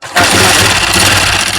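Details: Honda CG 125 engine, mic inside the bike, before repair. It catches and settles into idle with a busy, high metallic chatter over the rumble: cam gear noise.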